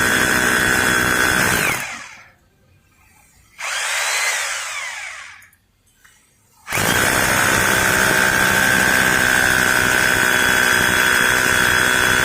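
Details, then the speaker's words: Maktec MT870 rotary hammer after repair (previously would not drill, concrete mode setting button no longer works), drilling concrete with SDS bit: strong steady hammering buzz, short pause mid-way then even run; hammer drilling works normally. "Guys oke di sini akan saya coba langsung masukkan mata bor SDS langsung kita jajal buat ngebor beton"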